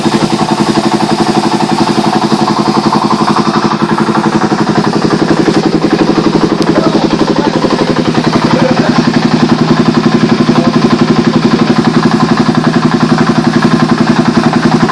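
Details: Suzuki DR-Z400SM single-cylinder motorcycle at idle: steady, hard knock about four beats a second over the exhaust note; engine knock, cause not confirmed.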